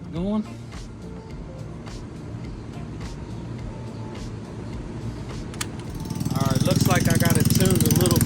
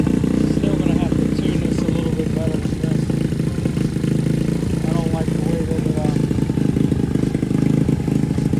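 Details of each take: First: Boom Vader Grom clone small single after installing a Mikuni knockoff carburetor, adjusted to idle around 2,000 RPM; quiet start, then catches into a quick, regular, steady fast idle. Normal idle. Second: Boom Vader Grom clone small single with new Mikuni knockoff carb, intake line blocked off; set at 2,000 RPM, idles high, a bit better once warming up. Fast, busy idle above where it should settle.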